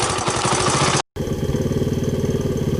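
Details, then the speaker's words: 1983 Honda ATC200X single-cylinder after clutch fix and carburetor clean, started on the third kick. Even, steady idle thump with no misses, though the owner was unsure of the idle and suspects a poor spark plug. Normal idle. "okay so it started up the third kick which is good"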